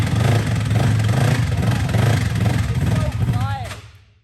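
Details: Custom rock bouncer side-by-side bought sight-unseen at online auction, seller claimed it worked; low, uneven chugging that barely runs, then sags and dies, with heavy blow-by smoke noted, consistent with failed crankshaft bottom-end bearings.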